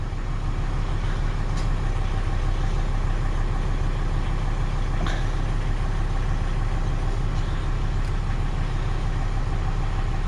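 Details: 2003 Volvo XC90 idling right after a new 900 CCA battery was fitted and a good cranking test: steady, even low rumble with no knocks, misses or surging; engine idling smoothly and healthy.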